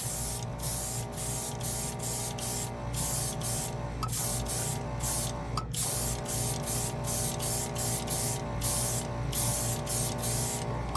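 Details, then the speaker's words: Gaahleri portable compressor feeding an airbrush spraying paint, with no moisture trap fitted: a steady low hum and crisp, even hiss bursts on each trigger pull, no pulsing. It pushes paint without trouble; normal operation. "here wow it works good A little compressor that could"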